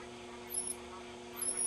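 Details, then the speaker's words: GE 810 television being restored, tuned to a Chicago Channel 6 station: thin, high-pitched whine that wavers as the controls are turned because the horizontal hold is slightly off. "but you hear that high pitch sound that's what happens when your horizontal is off a bit the circuit's really not happy"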